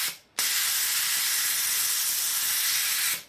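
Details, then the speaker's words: Plasma cutter that wasn't blowing air, after fixing a loose wire; strong steady air hiss for about three seconds on trigger, cutting off cleanly in paper test; air flowing properly. "all that was was just a loose wire and like i say sometimes that happens because i drag all my around the workshop"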